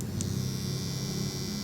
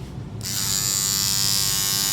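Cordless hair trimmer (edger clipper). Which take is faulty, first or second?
second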